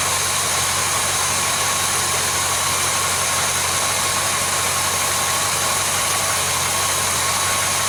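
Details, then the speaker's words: Chevelle whose oil pressure warning light never comes on, idling with a mechanical oil pressure gauge fitted: a smooth low hum under a lot of hiss at about 44 psi, with no knocks or ticks; normal idle. "showing about 44 psi at idle"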